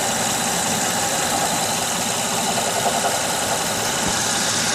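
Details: 2006 Honda Odyssey at idle: fast, persistent light knocking over even idle, unchanged; persists after replacing water pump, timing belt, tensioner, pulleys and power steering pump; source not yet found.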